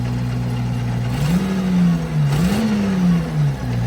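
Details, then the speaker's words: FV432 APC diesel, first run in 13 years, after releasing accidentally pressed dead man's stop pedal: engine runs steady and picks up cleanly on throttle blips, no misfire; running properly, smoke not clearly improved. "Let's see if it starts a bit better now. Now, straight away, that sounds a lot better."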